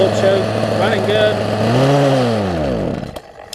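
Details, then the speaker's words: Poulan Pro 18" two-stroke chainsaw revived from an equipment lot, before carburetor adjustment, off choke: revs rise then fall, sag and cut out within three seconds; owner suspects it's running too lean and plans to adjust the low-speed screw. "I just need to do a little carbon justement on it and let's see what we can do with it it's running on choke and won't run on a regular I guess they need just running a little bit too lean"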